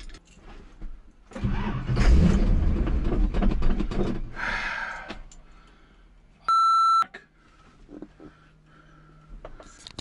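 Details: 1985 Chevy K10, new engine, 4-inch lift, 35-inch tires: starter spins engine for seconds without catching, then a beep; cranks but won't start after dying on extreme off-road angle; fuel pump heard cycling oddly, owner suspects fuel issue.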